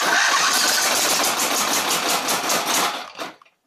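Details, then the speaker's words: Exmark Viking mower V-twin, choke on and throttle full, runs rough with fast uneven popping then stalls; owner ruled out valves, governor, carburetor and spark, suspects something internal. "so what it wants to do it just wants to pop up you know i can keep it running if i keep starting it"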